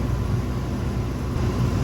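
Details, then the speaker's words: Raypak 1753A modulating vertical boiler after the water flow switch was replaced: the flow switch triggered, the gas valve opened and the burner lit. A steady, even low rumble of burner and pump together, with no knocks or surges; it fires normally. "Still calling for it now. Yeah, we're good. It's made up."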